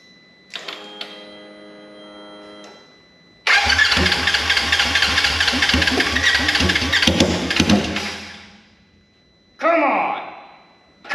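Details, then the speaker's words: Wrecked 2016 Polaris RZR 900 S, injectors hand-cleaned: cranks, catches, runs loud and ragged unmuffled a few seconds, then dies; owner says injectors are definitely the problem, needing cleaning or replacement. "I think I need to get some injectors or I can find somebody to see if anybody locally can clean injectors but it says injectors for sure"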